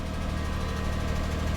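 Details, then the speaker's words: 2004 Lexus RX 330, 3.3 L V6, first start after wholesale purchase, relatively new battery: smooth, steady idle with a faint light ticking on top; owner notes clicking but says it doesn't sound bad; cause not pinned down. "You hear that clicking? A few moments later. It doesn't sound bad."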